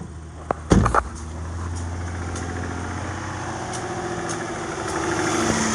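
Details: Chrysler 300 after rattling-noise fix: after a couple of handling knocks, engine settles into an even, smooth idle with no rattle or loose metal buzz.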